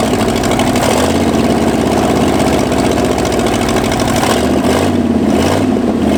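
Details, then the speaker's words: Ford F-250 first start in 26 years, before oil change: runs loud with uneven lumpy beat, will not idle unless pedal pumped or rpm high; owner suspects not firing on all cylinders, unconfirmed. "and it just does not want to run unless I'm pumping that or way up in the rpm all right we'll get we'll figure that out and this thing's case it doesn't like the idle at all"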